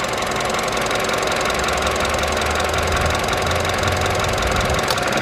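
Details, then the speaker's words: Vauxhall Adam petrol engine idling unevenly after running badly on the road, with an occasional faint click and stumble; misfire from a sick, arcing ignition coil pack, to be removed, tested and replaced. "there you go again oh so that sounds like it's got a bad case of i've got a sick coil back"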